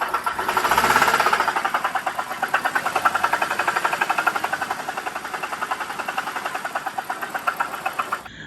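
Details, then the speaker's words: BMW E92 325i N52 petrol engine revved with AC compressor belt on: loud, rapid metallic knocking, about four per second, from the damaged AC compressor; quiet once the belt is removed. "So as you can see there, it's quite a horrific knock."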